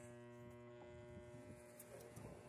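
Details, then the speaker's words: Parts car, key on with a battery charger connected: the driver's power window motor gives an even buzz at steady pitch with no grinding or binding. It works normally; the passenger window does not. "window motor works on the driver's side"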